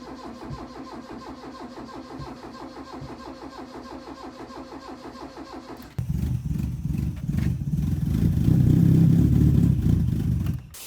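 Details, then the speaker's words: Ford Escort Mk3 with a fresh battery, sat for years and started on easy start, fuel suspected dead: a steady crank, then it catches and runs loud and uneven; rough running after a cold start. "but I think the fuel's a bit dead in it it's been sat here for few years now"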